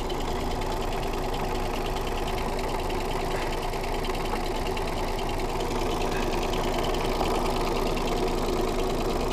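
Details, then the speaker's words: Smart car engine just topped up with oil, idling: rapid, uneven metallic rattle over the engine note, best heard from underneath; internal knocking, cause unclear. "the rattle is best heard from underneath so let me rev it up a bit"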